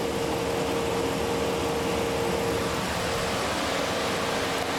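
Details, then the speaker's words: 2003 Dodge Ram 1500 after radiator replacement with new lower hose and clamps, refilled with 2 gallons of antifreeze: smooth, constant idle hum with light fan whir, no ticking or knocking, no leaks; normal idle. "Let's start it up and let it run. Get out of the system and QS it with antifreeze. Well, running. Can't see any leaks anywhere. Good to go."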